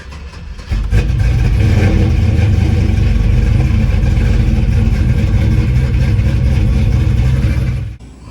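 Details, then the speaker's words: Pontiac GTO first start after refitting the fuel tank and jump-starting (battery dead, possibly a loose connection): engine fires within a second and runs steady and even for seven seconds before shutting off; starts and runs normally. "see okay so I put the fuel tank back in started it up and it started up"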